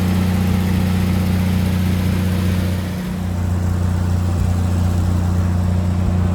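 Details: Lincoln SAE 300 welder with Chevy inline-six after ignition repairs, choked, about half throttle: strong steady low drone with even firing beat around two hundred per minute, no misses; runs smooth.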